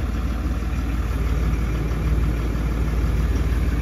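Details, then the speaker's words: Range Rover, first start with the exhaust and particulate-filter system fully reconnected after six weeks of repair; engine still in running-in; a little smoke. Deep, steady diesel idle with an even throb, full low exhaust note, no knocking or misses. "Prima pornire cu sistemul de evacuare complet legat am scos un pic de fum se aude interesant mai gros decât"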